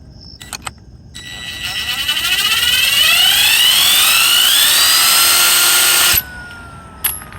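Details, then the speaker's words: New replacement alternator for a Mercedes S600, spun up: a smooth whir rising in pitch, then stopping cleanly with none of the gritty marbling of the original's failed bearings; the new bearings sound healthy. "next this is the new one let's show you the new one you see the difference the new one does not make this marbling sound so original one has clear bearing issue obviously the new one is quiet"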